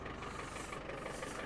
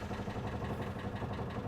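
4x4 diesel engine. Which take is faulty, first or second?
second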